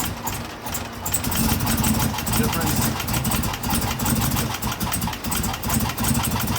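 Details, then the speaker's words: 2016 Chevrolet Camaro LT1 V8 at idle, with a factory fault that first seemed like bad gas. Lumpy, uneven chuffs at about two to three a second with a stumbling beat; misfire from the number 5 valve spring, cracked at the top, with no valve-to-piston contact. "the good news is is that my number five valve spring they had cracked and even better cracked at the top meaning that the valve wasn't able to travel down far enough to hit the piston"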